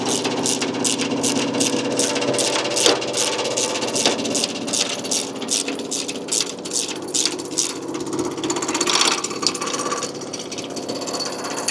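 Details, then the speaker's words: Spitfire Mini Screen vibrating screen running with a fast metallic buzz and rattle because one mesh is not tensioned tight; once the mesh is tightened the noise disappears, as the screen is designed to run quiet. "Now, if you can hear that, you can hear that's quite noisy. And what you'll find is one of the meshes isn't quite tight. These are designed to run quiet."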